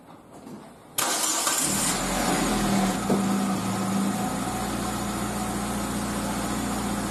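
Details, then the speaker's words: Car wheel after hub bearing replacement, rotated on a lift after bending back a deformed metal backing plate that rubbed the brake disc: even steady run, no rubbing or scraping at low or high speed; normal wheel rotation. "现在我们可以看到，不管是低速还是高速运转，这个声音都已经消失了。"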